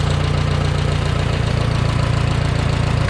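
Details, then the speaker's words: 1969 Minneapolis Moline U302 tractor, first start after engine rebuild from stuck, fired after work on the points: steady, even low-pitched idle with regular firing pulse, no knocks or misses; healthy engine. "Although neighbor Carl did a lot of help too, but finally got her to fire up. So this is what she sounds like."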